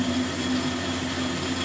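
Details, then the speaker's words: Lathe machining a dividing-head spindle with a right-hand knife tool under power feed: same spindle speed but faster feed cured earlier chatter, giving a steady even cutting hum with light hiss, smooth clean cut. "Well, that's the same speed, but running a faster feed, which has the same effect as increasing your surface speed, and that's cutting a lot better, a lot smoother."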